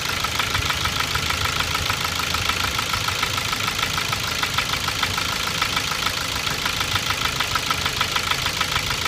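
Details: 2006 Ford Focus 2, 1.6 100 hp, automatic: regular light knock at idle at camshaft frequency (~400/min), vanishing above 1500 rpm, unchanged after 90,000 km; owner suspects camshaft knocking in its bed, possibly piston pin oil starvation or piston slap.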